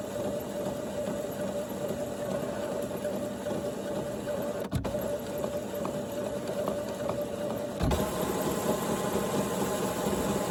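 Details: HP Photosmart Plus printer making strange noises: steady mid-pitched whirring hum with uneven repetitive clattering, an abnormal mechanical noise.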